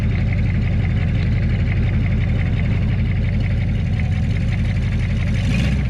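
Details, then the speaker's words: HMMWV (Humvee) after flex plate replacement, with the Y-pipe joining left and right bank exhausts removed: very loud, deep rumbling idle with a raw, boat-like burble like open headers. "It kind of sounds like a boat. So this is just like open headers."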